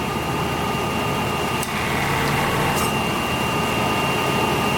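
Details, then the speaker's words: S-10 Blazer V6 at idle, AC gauge attached: sharp clicks as compressor clutch engages and releases too quickly; pressure drops about 15 psi then returns near 50; owner suspects a refrigerant leak. "so here's the gauge it's filled up you'll hear the clutch engage"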